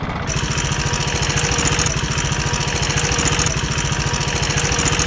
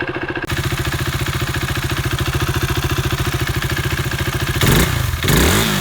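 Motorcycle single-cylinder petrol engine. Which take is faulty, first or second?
first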